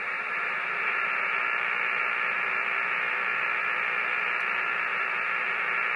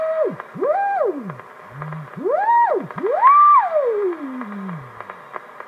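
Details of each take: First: Hammarlund HQ-170-A receiver on an outside antenna during IF alignment: loud steady hiss with fast crackle on top, noise blanker off; precipitation static, greatly reduced when the blanker is switched on. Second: Hammarlund HQ-170A receiver during IF alignment control check, in CW mode: clean whistle glides smoothly up and down in pitch as the CW/BFO adjustment is tuned; beat oscillator working normally.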